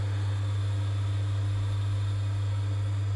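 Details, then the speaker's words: Vaillant ecoTEC plus 637 system boiler after replacing a faulty gas valve that caused F28/F54 ignition failure: steady, even low hum with no surging or popping, burner firing smoothly and running normally. "so yeah it was a faulty gas valve as you can see this is what we should be getting when the gas valve opens up and there is Fire"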